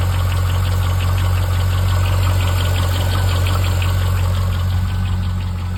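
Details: Chevrolet C5 Corvette V8 at idle: steady light knock about three times a second over the rumble; owner suspects piston slap or a failed lifter.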